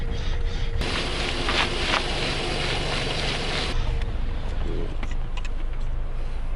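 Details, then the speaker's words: Geely Atlas idling with a low steady rumble while the wheel is turned, no knocks heard after a part was tightened about half a centimetre to cure a previous knock. "Давайте досмотреть заводим машину и слушаем и о чудо все стуки"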